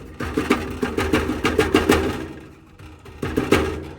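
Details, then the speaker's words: 2020 Ford Edge, about 4 years and 40,000 miles: uneven bursts of tinny rattle as the loose heat shield by the catalytic converter is tapped by hand underneath; suspected source of a popcorn-like flutter while driving. "There's this heat shield right there. And when I tap on it, what happens is, this is what you hear. There's this sound of rattling"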